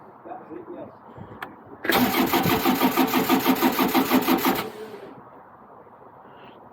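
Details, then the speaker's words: Niftylift HR21D SP64D MK2 diesel access platform, error code 01009B05 (extended-side VBB1 under voltage), after a few seconds' glow: engine cranks steadily, about three beats a second, but does not fire or start; no glow plug power. "right it's cranking this cranking but it does not start"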